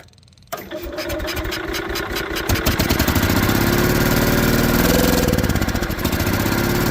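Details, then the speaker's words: Case garden tractor engine on choke, fresh gas added to old possibly ethanol-free gas, with a broken carburetor awaiting replacement: cranks, catches and runs lumpy and uneven, never smoothing out; then shuts off with the fuel pump. "running with a broke carburetor and all."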